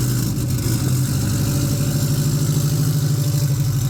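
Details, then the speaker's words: Saker race car with sequential gearbox (compressor for gearbox audible), started and blipped: starts very easily, deep lumpy engine with steady low beat and quick blips, then shut off; normal start and revving. "I can tell you that's the easiest race car start I've heard."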